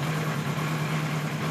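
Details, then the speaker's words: 1976 Kawasaki KZ900-A4 four-cylinder after the exhaust cam timing was corrected and two bad plugs were replaced: even low rumble with a steady pulse and no knocks or misses. A normal idle; only minor carb sync tweaking is left. "so there you go sounds pretty good like I said we need a little tweaking done but it's very close"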